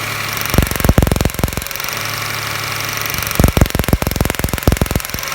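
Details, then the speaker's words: 1999 Toyota Camry Solara 3.0L V6 at idle with code P0304, cylinder 4 misfire: pulling a spark plug boot causes bursts of uneven stumbling thumps, then steadies and stumbles again; bad injector measured 500 ohms versus 14 ohms on neighbours. "when I pull that up you'll hear the engine misfire of the word"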